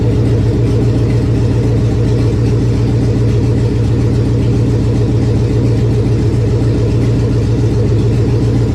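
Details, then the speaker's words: 1999 Chevy 5.3 V8 4WD junk donor pickup, first run to test the engine: a loud, steady, low V8 rumble with an even beat and no knocks or misses. The engine runs smoothly. "She's a runner, we know that much now, so good deal."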